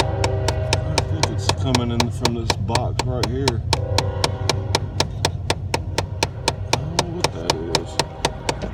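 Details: Chevy Cavalier running: sharp, even clicks about four per second over a low engine hum; a steady click whose cause can't be pinned down by ear.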